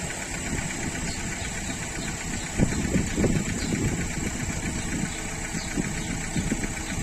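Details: Renault 1.3 TCe engine running: uneven, rough knocking flutter that swells briefly as it takes load; noise on acceleration, cause not yet pinned down.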